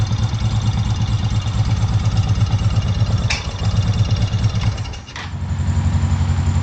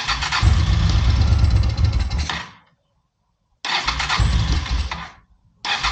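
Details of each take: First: Honda PC800 Pacific Coast motorcycle, long-stored, after a carburetor cleaning and refit, spark plugs not yet checked: V-twin burbles at a steady idle with one brief dip, wants to choke out a little; running fairly smooth but needs more tuning. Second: Honda PC800 Pacific Coast, likely not started since about 2007–2008, air cleaner off: it starts on starter fluid, runs roughly for two seconds, fades, then fires again. It runs only on starter fluid.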